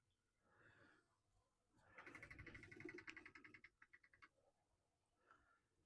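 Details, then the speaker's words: Model railway loco pulling a four-coach train runs quietly, then makes a couple of seconds of fast, uneven high ticking and clatter; a slipping gear in the drive is suspected, not confirmed. "Yes, she's actually making some rather strange noises. Uh, what it sounds like is I've got a gear slipping, which is something I'm going to have to investigate, I feel."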